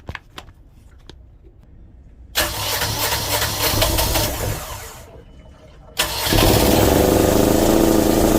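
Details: Boat generator ("Frankengenset") reinstalled in a Tiara, fuel and antifreeze bled, makeshift muffler can on the exhaust; cranks briefly, catches and settles into a steady, even running note with no knocks or stumbles. Normal start and idle.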